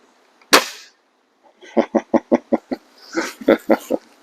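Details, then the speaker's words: BSA Airsporter Stutzen RB2 air rifle (5.5 ft-lb limited) after a tune to remove an annoying buzz, shooting .177 Crosman Premiers, before and after: one sharp crack dying quickly with no twang or buzz; smooth, quieter shot cycle. "So here's a clip of what it sounded like before, and here's what it sounds like now."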